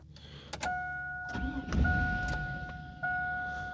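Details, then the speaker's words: 2002 Chevy truck (GMT800) with 5.3 Vortec V8, after a PCM swap during the VATS security relearn: short bursts of starter cranking under a steady chime, engine never catches; crank-no-start from the security lockout until the relearn completes. "Turn the key off, 10 seconds. Crank it twice. All right, it didn't start. This is test 2."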